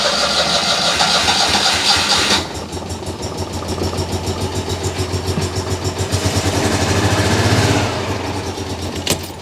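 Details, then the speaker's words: Citroën 2CV flat-twin that conked out and wouldn't restart: starter cranks steadily at three to four beats a second but never fires; tester suggests no spark reaching one side, timing mark looks off. "it sounded like no sparkles getting through on that side"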